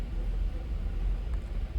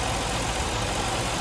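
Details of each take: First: 1989 Ford Ranger or 2000 Buick LeSabre at idle with the EGR valve commanded open by a scan tool to about 50%: rumble surges and dips, stuttering and barely staying alive. Excess EGR flow causes a rough idle. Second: 1989 Ford Ranger 4WD, five-speed manual, at idle with the EGR valve connector unplugged: steady, even idle with no stumble or misfire, and running condition unchanged. Normal idle.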